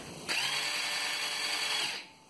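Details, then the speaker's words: Kawasaki Bayou/Lakota-type ATV starter button pressed: starter spins freely with a high light whine for about 1.5 s but won't turn the engine; most likely a worn clutch in starter drive idle gear sprocket, fix is replacing that sprocket. "a starter that works but will not engage the engine let me show you what it sounds like when you hit the starter button your starter will spin freely and sound like this"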